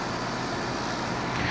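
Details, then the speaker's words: Trane/American Standard-style heat pump with scroll compressor after a short forced defrost: fan back on, delayed shift, steady fan air over low compressor hum, no rattles; normal running in heat mode. "so there the fan came back on because it's warm we didn't have to defrost very long and now we've got that delayed shift and now we're back into full-on heat"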